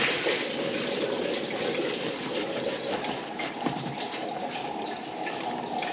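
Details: Urinal flushing after blockage cleared by cable and trap refitted: steady rush of flush water pouring away evenly, no gurgling or backing up; drain clear and running freely.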